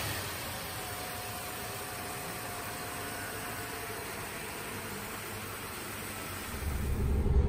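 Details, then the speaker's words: 1965 Plymouth Valiant, 170 Slant Six, first running after sitting, fuel pumped up into the carburetor bowl, radiator shot: steady low rumble under some hiss, no knocks or misses, rising slightly at the end; normal idle. "I actually pumped it a few more times got the gas up into the bowl and it fired it fired up and now it's actually idling"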